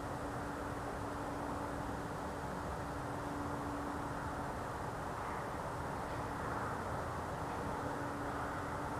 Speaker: strangest thing. It's like a hum.